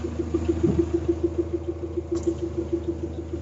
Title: 3sgte minor rattle noise